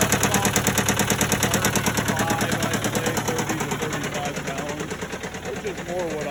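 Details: Case 188 four-cylinder diesel tractor before teardown: a lumpy beat of about three pulses a second with a hard knock in the rhythm, smoking. Number one cylinder appears not to fire; the cause is not yet diagnosed.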